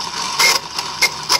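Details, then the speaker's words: 1995 Mercedes S320 non-ASR throttle body, part 0001415725, bench-tested energized before repair, gives short, irregular high-pitched buzzing screeches; the internal clutch coil has failed and wiring is deteriorating, so the coil can't hold the plate and it chatters. "this is your noise this is a screeching sound that was described when unit is energized when the car is started okay because the coil is not holding it"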